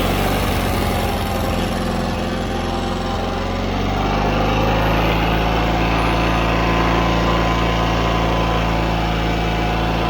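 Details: John Deere 317 riding mower twin engine after carburetor cleaning (it had quit while mowing and would not restart; carb was plugged): steady, even engine note that settles after a few seconds and holds without stumbling, running smoothly.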